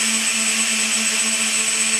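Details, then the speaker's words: RC 747-8 model's electric ducted fans on a very minimal run. Steady high-pitched whine over a strong airy rush, constant speed with no roughness, fans running healthy. "Fans themselves, well, I'll hit it a little bit, let you hear what it sounds like. That's on very, very minimal."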